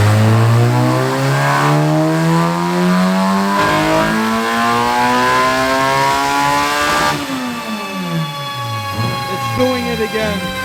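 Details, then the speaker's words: VTEC car on dyno pull: revs climb smoothly then near the top a brief flutter and stumble; owner suspects VTEC staying engaged or fueling issue, unconfirmed; stumble under load. "it's doing it again hear that little flutter something's wrong hear it kind of stumble it's like almost like staying in v-tech again still like on idle right either that or a fueling"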